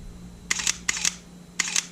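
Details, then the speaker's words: Sony A7 after sand and grit were cleaned out and the shutter motor refurbished: three crisp, quick shutter clicks, each a clean snap-and-reset with no scraping or grit; shutter now works normally, unlike before the repair. "did you hear that shutter compared to the first one oh my goodness it was so nasty sounding before thr that Grid in there oh yeah we just saved a shutter boy that sounds clean that is clean"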